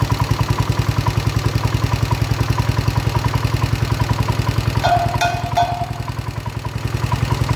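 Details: 1970 John Deere 110 hydraulic-lift patio tractor, running after a dirty fuel tank was swapped for a spare. The single cylinder fires evenly at steady idle with crisp, regular exhaust pulses and no knocks or misses; it runs normally.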